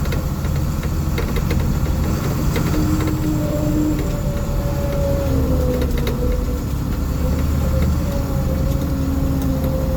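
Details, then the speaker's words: Diesel bus in cold weather on high idle, driving: steady diesel rumble with faint moaning whine shifting in pitch during a turn; power steering noise, cause unknown. "Try and listen for that steering, which we'll hear it here when I make a turn."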